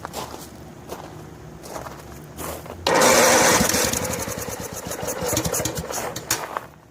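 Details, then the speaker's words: Snapper SR1433 rear-engine rider mower, sat 8 years, on choke: cranking, catches after about three seconds, then surges and sags; poor running from a leaking fuel bowl and dirt in the carburetor, which needs soaking. "See if we're getting any fuel in the fuel bowl. Yeah, there's a leaker. There was a bit of dirt in there somehow or another."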